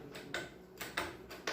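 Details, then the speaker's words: Makita marble saw, no disc, shaft stiff to turn and turned backward by hand: sharp dry unevenly spaced clicks, about five in under two seconds, like a bicycle freewheel; normal ratchet clicking for this saw. "ainda falei mais vó se você virar contrário ao contrário ela faz um barulho de catraca de bicicleta ó"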